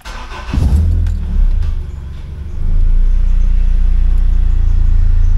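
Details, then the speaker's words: Honda K20A3 with RBC intake manifold, idle control valve temporarily blocked with cardboard gasket and idle screw set to about 1000 rpm: after a blip, smooth steady low rumble at idle, good throttle response; O2 downstream and EVAP lights on. "it runs pretty smooth [Music] it has really good throttle response"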